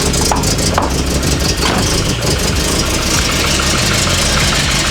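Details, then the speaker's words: Classic car started, fan switched by hand: engine idles slightly rough with an uneven, lumpy beat and irregular pulsing, all engine mounts worn so engine jumps; cause unknown. "idling a bit rough. The engine mount's dead. All the engine mounts gone, guys. The engine idling a little rough."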